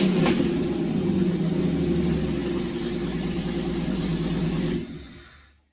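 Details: Jeep after an engine swap, with a new starter, battery connectors and radiator, running again after seven years. Engine catches and runs with an even, deep rumble and a slight rev, then shuts off cleanly after about five seconds. Normal running.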